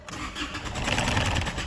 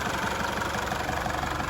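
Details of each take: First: Isuzu D-Max with fault codes for EGR closed-position performance and camshaft position: the starter churns steadily but the engine never fires, and the scan tool shows no engine speed; crank no start, cause unconfirmed. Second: Isuzu D-Max diesel back together and running after a crank-no-start repair (camshaft position and EGR codes, no OBD engine speed): steady diesel clatter at idle, even rhythm, no misses or odd knocks; idling normally.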